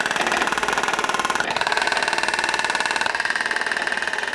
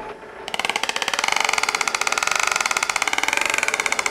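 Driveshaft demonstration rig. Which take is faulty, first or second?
second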